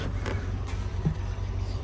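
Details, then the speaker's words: Rover SD1 2600S after exhaust replacement, recommissioned after 17 years stored: low smooth even rumble, regular soft exhaust pulses, no ticking or knocking; running far better than before. "she's working she sounds running an absolute dream compared to what she was before"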